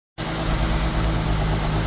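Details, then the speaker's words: Nissan 350Z HR petrol engine at idle: faint steady hiss and unstable rpm from a vacuum leak at two open bolt holes; closing the holes steadies the idle. "So if you remove the cover of your car, you you listen and you are listening to this hissing sound, your RPM is not stable."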